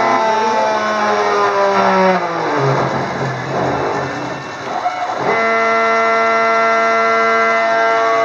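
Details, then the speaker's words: Gerber D200 self-test, X and Y controller: X stepper drive sings in stepped falling tones, then breaks into rough rumbling, staggering before a steady note; board later repaired. "This is a self-test with the X and Y controller. X exhibiting some staggering."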